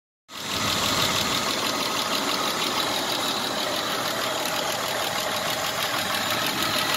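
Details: 1996 Isuzu Trooper idling with a faint quick ticking, about three per second, from valve lash; after 50 miles with Seafoam in the engine oil the noise is less sharp than before but still there. Valve train ticking.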